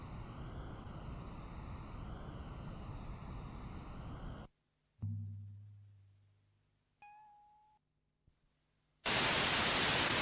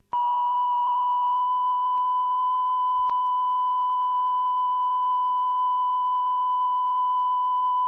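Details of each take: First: Cassette tape playback, reverse side, after fast-forward and rewind on another deck: tone wobbles up and down in pitch every second or so under hiss; wow and flutter from sticky tape. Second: this was purely having done the lubrication and this sounds pretty good now I have heard people say there's possibly a bit of flutter on it but I think that's more down to the OBS than recording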